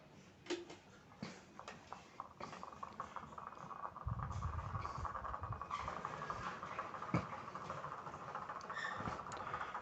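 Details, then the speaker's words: Electric fan running: a steady whir with an uneven clacking, well over one click a second, with the camera held close; a normal fan should run smoothly without this noise. "kipas ini bisa berputar dan Kelihatannya tidak ada masalah tetapi coba diperhatikan putarannya itu berbunyi jadi itu tidak normal yang normal itu bunyinya mulus ya tidak kletek-kletek seperti ini"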